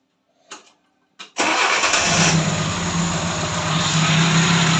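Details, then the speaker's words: Tavria carburetted engine that stalled while driving, after replacing the ignition commutator (switch unit) and checking the carburettor: a couple of clicks, then it catches at once and settles into a steady idle; normal start, commutator blamed. "тобто є положення що проблема була саме в комутаторі тому що як тільки я його замінив оцей зняв старий ось оце доробло отаке поставив ось цей і все у нас запрацювало"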